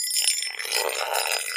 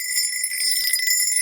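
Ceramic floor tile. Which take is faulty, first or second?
first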